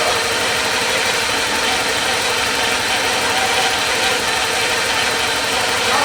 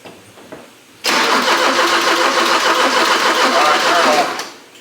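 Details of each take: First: 1984 Porsche 944 revived after years sitting in a field: even, steady idle with no knocks or misses and a consistent tone; runs and sounds good, though the cooling fans aren't coming on. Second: 1984 Porsche 944 left sitting in a field, after fixing the fuel pump relay, fuel pump working: steady fast cranking about three seconds, never catches; crank-no-start, suspected no spark from the coil, not confirmed.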